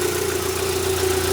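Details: Rover 75 petrol engine idling after new spark plugs replaced the factory originals; a short burst of smooth, even idle hum with no stumbles or misfires, judged to be running better.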